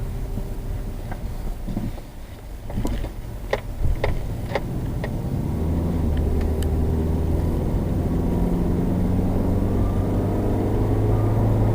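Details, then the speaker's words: 2007 Subaru Legacy test drive after replacing the front wheel bearing: tyre and road rumble build smoothly with speed with no growl or howl, so the bearing is quiet. A separate strange whistle remains, unrelated to the bearing. "We don't have any bearing howl, but we still have that strange whistle."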